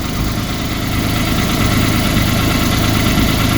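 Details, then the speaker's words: Citroen C1, new rear exhaust box fitted and clamped, cold start: steady idle with faint quick puffing tick; front joint fine, very slight leak at rear joint, may reseal with more paste. "right the front joint is absolutely fine the back join as I expected with this type of join is got a very very slight little noise"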